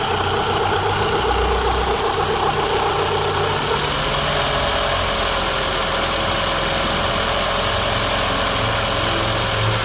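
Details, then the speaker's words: VW Golf 1.8 Turbo, 150 hp (same engine as the Audi A3), at idle. A faint odd tone over the engine hum goes away with slight throttle and returns at idle. Cause unknown; the owner plans to replace the water pump, timing belt and tensioner kit. "Vou colocar vocês para escutarem o barulho e vocês vão ver que acelerando um pouquinho some o barulho."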